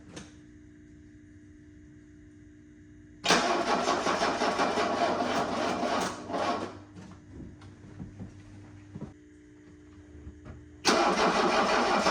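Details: 1984 Mercedes-Benz 300SD diesel after getting fuel to the injectors, possibly glow plugs, battery charging: catches and roars about three seconds, dies, then fires again; starts but won't stay running without throttle, shaky idle.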